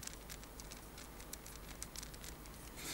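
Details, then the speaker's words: Defective Xiaomi Bluetooth headset, the one that shipped for 2 months, held close to the microphone: irregular light ticks and clicks as it is moved or the head turns, a loose internal part rattling inside the casing. "здесь почему-то что-то стучит Я не знаю что слышите"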